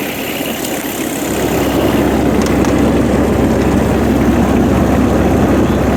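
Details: 2012 GreenMech Quad Chip wood chipper diesel, 1,500 hours, after bleeding air at all three injectors and using a jump pack: catches about a second in, builds up, then settles into a steady, even chug; idling cleanly.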